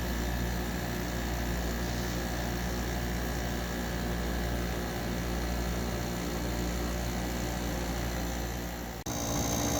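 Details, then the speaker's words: Soleus Air (Gree) dehumidifier, eight or nine years old, after replacing the failed relay that kept the compressor on: steady compressor hum, then a clean click as it shuts off while the fan keeps blowing; relay repair works. "it's working I don't see any Sparks compressors working the fan the fans blowing"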